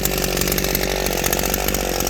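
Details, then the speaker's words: Southland tiller revived from trash, fuel tank holding, adjusted to hit its power band, running unloaded high; loud steady single-cylinder buzz, even firing, no stumbling or misfire, healthy. "Got it adjusted there in the end where it just hitting its power band. You can hear it running. It runs like I remember my last one."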